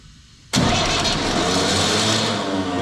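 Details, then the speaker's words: Universal tractor starting when very cold after a long crank: the engine fires and runs under a loud, harsh whirring grind that never drops away as the starter pinion stays engaged; the owner suspects the starter solenoid rather than the gear. "çalıştıktan sonra kaçıyor bu çek Benz çok soğukken çok zorlanıyor dinama dişi geri çekmiyor O zaman dişte değil sorun otomatikte olmalı"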